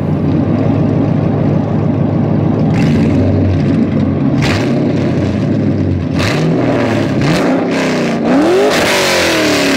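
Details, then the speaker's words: LS V8-swapped Mazda FD RX-7 on the road: several quick free revs climb cleanly and drop back to a deep, steady burble with no knocks or misses. Normal, healthy V8. "oh man how can you not like that rotary and turbo's cool but this is easy"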